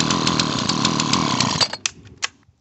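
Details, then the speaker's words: Dolmar chainsaw, two-stroke, ZAMA C1Q carb, air cleaner housing off: rough high-rev buzz for a second and a half, then weak pops and dies; carb meters too much fuel, back-flushing, flooding engine and wetting spark plug. "but the carburetor is just not running right and then it just meters a lot of fuel through here"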